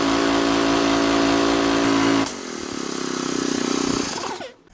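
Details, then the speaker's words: Gas-engine roofing air compressor after replacing the unloader and flushing water-contaminated fuel, cutting out at 150 psi, back in at 120: engine and pump thump steadily, then load note drops cleanly and it winds down; normal running. "took forever and a day to get the new one but it's working the way it's supposed to now"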